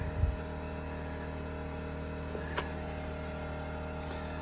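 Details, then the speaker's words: 2000-watt Harbor Freight Predator generator powering a 2021 Lance 650 truck camper's air conditioner, microwave breaker off: steady low hum, briefly lags as compressor kicks in, then runs harder without surging or hunting; carrying the load. "hear a pool load on that generator outside okay let's wait for the compressor to kick on here see if we can hear it and there it kicked in you heard it kind of really give a a lag there"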